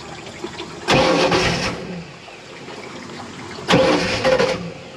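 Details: 1986 Shamrock 20 boat, Ford 302 V8 unstarted for 3 years: two short cranking bursts that never catch; fuel pump heard running but carburetor bowl is dry, so crank no start from fuel starvation.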